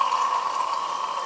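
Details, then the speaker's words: Cooling system pressurized cold with a gentle air hose: constant sharp hiss of air and coolant escaping at the base of the water pump, holding steady; coolant leak at water pump. "at the base of yon water pump, there is antifreeze, water, and everything going all over. And so we have found our leak, and it is where I anticipated it would be"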